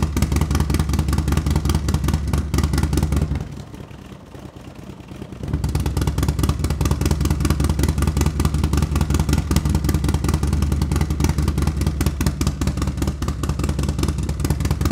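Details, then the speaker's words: New S&S 136 crate engine with 550 cam for a Harley-Davidson Milwaukee Eight, first start after priming and seeing oil pressure, warming up: deep lumpy V-twin thump, steady rhythm with a brief dip; healthy, may need fine tuning. "let it get a little bit hot it seems to run good probably needs a little fine tuning uh but it sounds healthy sounds like going to make some power"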